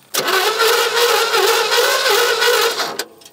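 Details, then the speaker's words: 1975 GMC Sierra Grande, 250 ci straight-six, abandoned for years: starter spins the engine over freely at an even pace for about three seconds but it never fires; no spark heard yet, crank no start. "she's spinning over but I'm not hearing any spark yet"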